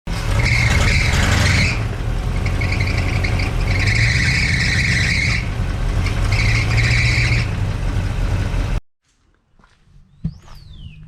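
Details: 1962 Chevrolet C10 idling in the driveway during leak check and timing and carburetor tuning: high shrill squeal in bursts every couple of seconds from a slipping drive belt; belts since replaced.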